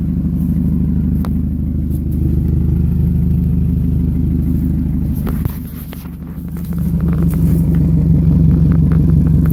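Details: 1998 Toyota Camry at idle; loud, deep throbbing rumble with raw unmuffled burble from an exhaust leak at the flex pipe.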